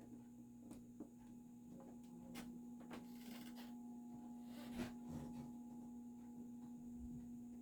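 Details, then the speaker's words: Dayton 60" industrial ceiling fan model 4C721, cast-iron motor, started on low; steady electrical hum with scattered knocks but no blade rotation as it stalls, owner suspects stiff bearings with a tight spot that may need replacement. "now i'm not sure if this one will start and stay running because of those bearings it looks like it will nope it's going to stall out okay"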